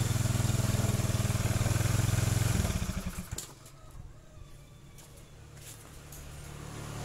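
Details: Honda Beat scooter (carburetor/injection) that juddered when pulling away, after fixing uneven clutch linings: pulls away with an even, steady low drone and no judder, then settles to a quiet idle; clutch now engages cleanly.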